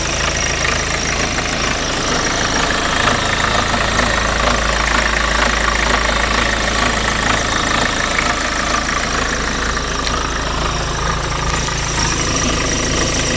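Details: BMW 318 TDS E36 diesel at idle: steady rhythmic knocking at roughly half engine speed; cause unknown.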